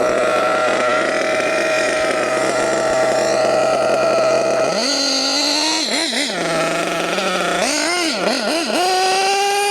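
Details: HPI Savage GT6 with F4.6 nitro engine, after adjusting the two-speed gear-change setting 2.5 turns in: high-pitched buzz holding steady then climbing cleanly through quick blips without stumbling, gear change now working; normal running.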